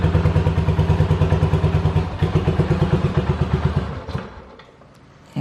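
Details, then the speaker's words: 1985 Yamaha Virago 750 V-twin after reassembly: lumpy thumping at about three beats a second for four seconds, then it dies and briefly fires again, repeatedly cutting out; owner suspects bad ignition coils or shorting plug wires, unconfirmed. "so i think i just i need to replace the coils i need to replace the wires and i need to redo the spark plugs again because now she did like you just saw she ran and she cut out and then started up she'd run for a little bit and then she cut out"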